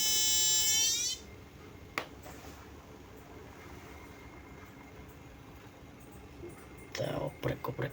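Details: Chinese TV switch-mode power supply with B+ dropping to only 7 V, after regulator transistor replacement fault remains: shrill layered siren-like whistle for about a second then cuts out.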